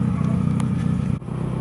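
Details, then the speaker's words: Petrol engine idling after carburettor refit and removal of the CNG kit: a loud, raw low putter because the exhaust is holed near the hood. "mas esse barulho estranho é porque o escapamento tá furado aqui na capota"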